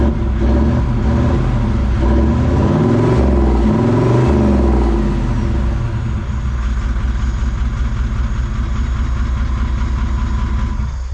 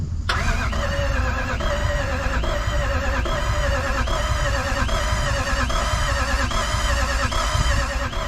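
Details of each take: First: Toyota 1VD V8 turbo diesel swapped into a Jeep J200, first start after getting fuel to the line: a deep rumble blips up briefly, then settles into an even, steady idle. It runs properly. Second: Jeep with Toyota 1VD V8 turbo diesel swap, first start attempt; starter spins engine at even beat about one pulse a second but never fires; no fuel rail pressure, later suction control valve suspected and swapped: crank no start from no fuel pressure.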